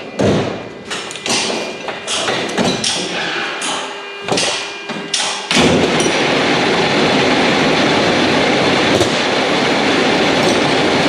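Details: Mack truck diesel after engine reassembly with new parts, first start: several seconds of slow cranking thuds, then it catches and settles into a steady, even clatter with no misses or knocks; normal start and idle.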